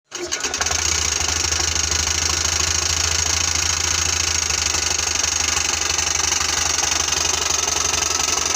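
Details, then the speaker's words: Honda Beat scooter CVT after fixing an incorrectly installed kick-start gear that had caused rough noise: starts and holds a steady, even run with a smooth belt-drive hum, no rattle, grind or slipping surge; CVT normal. "untuk di bagian CPT sudah terdengar halus ya teman-teman ya"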